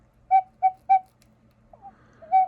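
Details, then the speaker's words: Vintage gravity-driven wall cuckoo clock, bellows freshly rewrapped with paper: three short clear whistled notes then one more after a pause, same pitch; the cuckoo call voices properly. "I rewrapped the bellows for the kook, or the coo. I don't know if this is the kook or the coo, but it seems like it's done right. I don't know. It does the noise."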